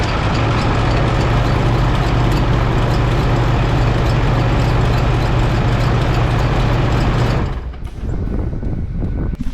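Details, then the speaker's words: 2008 Ford F-350 6.4 Powerstroke diesel idling with uneven belt flutter and slap over the clatter: failed belt tensioner has let the serpentine belt shred twice, ribs missing near power steering pump; tensioner to be replaced. "Hopefully you guys can see that. I don't want to run it for super long. The belt has shredded itself. It's shredded itself twice now."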